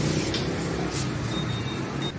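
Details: Honda PCX 150 after repair of a no-start fault caused by a loose, dirty, burnt stator 3-phase connector to the ECU; a steady, even low idle hum with no misses or knocks. Healthy idle.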